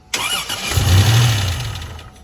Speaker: The lifters are completely drained. You didn't hear the sewing machine?